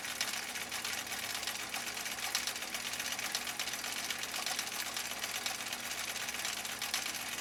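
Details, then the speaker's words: 1962 Husqvarna Viking Type 21E with 1.5 amp motor, previously dropped and repaired, sewing the cam B heartbeat stitch with upholstery thread: quick, even chatter with a soft regular beat and no knocks or binding. Normal running. "listen to the machine uh this type 21e with a 1.5 amp motor doing its thing doing its dang"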